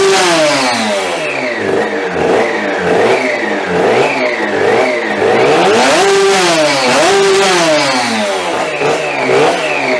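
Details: 3D-printed fuel-injected TST100 two-stroke race engine, first start, no radiator fitted: raspy revving with a thin whine following revs. Owner says the primary gear-to-clutch mesh is too tight, causing a whine it shouldn't have; monitoring for gear wear and heat.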